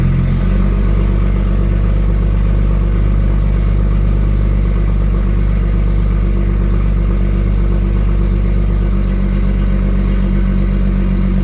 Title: Under 1k rpm cold start.. exhaust leak?